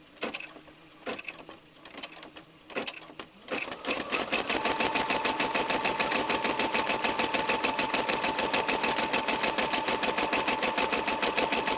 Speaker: listening to the machine you can sound hear the sound is nice and even stitches very well it's been a Dependable Machine